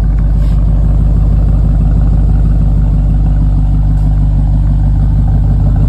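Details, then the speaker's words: 2014 BMW 550i, N63TU 4.4 V8, after fuel injector bore and seal repair for fuel leak, misfires and codes, codes cleared, MAF sensor reconnected: smooth, deep, even engine note with no stumble, running cleanly on all cylinders. "sounds good sounds good burn like a kitten"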